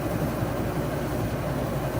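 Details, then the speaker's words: Arctic Air dehumidifier after replacing a stuck 20-amp compressor relay with pitted contacts, humidity setpoint lowered to trigger it: steady low hum and even airy rush, compressor on and fan blowing warm air, no rattles or cycling; normal running, repair fixed. "And the compressor's on. And the fan is blowing warm air."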